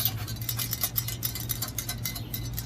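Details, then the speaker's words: First-generation Ford Edge (2007–2010) front wheel hub bearing, loose hub turned by hand before replacement with salvaged parts: gritty, uneven scraping with metallic ticks, metal heard inside, hub has play; bearing completely worn out. "you can kind of hear the metal inside that's how bad it is uh and also i believe it has some plate in it yeah it has some play in it too"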